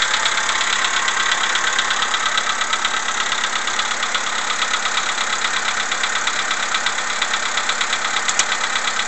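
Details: Cold-start morning idle of a CFNA engine: steady, regular metallic tapping over the engine note, about a hundred-odd per minute, classic cold piston slap.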